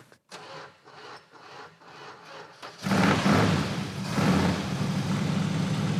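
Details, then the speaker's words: 1970 Buick GS 455 big-block V8, revived after sitting for years, started on starting fluid after the disconnected ballast resistor was sorted: slow cranking, then it catches and settles into a steady, even idle; sounds remarkably good, normal running. "Wow. Oh, it even idles. We're good to go. That sounds remarkably good."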